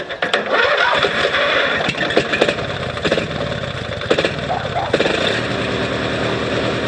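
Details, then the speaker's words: 18 HP Noma lawn tractor started by jumping the solenoid with pliers after charging the battery; a few clicks, then the engine catches and settles into a steady, even idle; starts and runs fine. "uh yep she's a runner"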